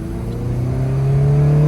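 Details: Honda Civic Si (FA5, K20) on a test drive after water pump replacement and coolant bleed: smooth engine note climbing steadily under acceleration into VTEC, no whine, squeal or knocking; old water pump noise gone, belt possibly a little tight.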